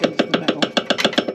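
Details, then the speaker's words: Vintage motorhome exhaust: sharp metallic raps about seven a second as the loose pipe strikes the body. A rubber hanger is missing and the others are perished, and new exhaust rubbers are needed. "So there is a rubber missing there, and that's allowing this to"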